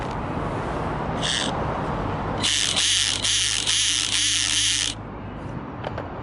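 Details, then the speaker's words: Wltoys 284010 1:28 4WD RC rally car, 180 brushed motor: shrill motor whine with harsh rhythmic grinding chatter under throttle, caused by a tiny brass piece broken off the motor pinion gear lodged in the reduction gear; test cut short. "There's a tiny little piece of brass broken off the motor pinion gear, and it's lodged itself in the reduction gear, and now pretty much makes this noise."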